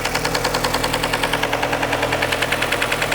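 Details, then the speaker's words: 2003 Nissan 2.5L after timing chain and water pump replacement, first start, oil level correct: sharp, regular ticking knock about 200 per minute at idle from the top end; suspected lifter buckets under the cams, cause unclear; top-end knock. "Sounds like it's those lifter buckets, or those pieces that are on top of the, underneath the cams that open and close the valves."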